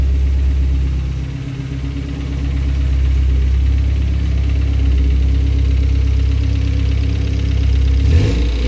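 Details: Honda K24 engine at idle with a fast light rattle over an even four-cylinder idle and a brief blip; timing chain noise suspected despite the tensioner having been replaced with a Hybrid-Racing unit.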